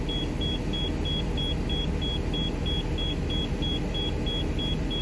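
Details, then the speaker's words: RV diesel idling in neutral after desiccant filter replacement on the air system, air tanks refilling from empty: a high, fast beeping, nearly three a second, over the rumble; likely a low-air dash warning that stops when the brake is pushed. "I push the brake like that it'll stop beeping so let's see what happens let's hear it do again"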